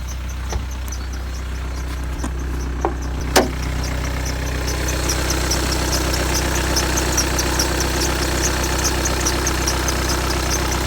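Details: 2015 VW Tiguan 2.0 TDI 150 BMT diesel, 34,000 miles, cold idle: quick high chirping squeak repeating a few times a second over the clatter, only when cold, fading after a minute or two; source unknown.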